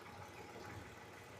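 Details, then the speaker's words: Hyundai Veracruz returned after ignition coil, spark plug and one intake gasket replacement for a system-too-lean code; brake cleaner sprayed around intake gasket edges to find leaks; soft, even idle with no popping or speed change, no misfire in data; normal idle. "so so far right now um I don't hear anything popping noise a change in"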